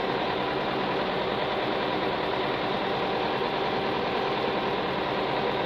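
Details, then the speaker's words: Tractor diesel with rotary fuel pump, after bleeding air from dirty-fuel lines and earlier surging: now idling at a steady, even clatter with no stumbles. "Just smoothing out here now."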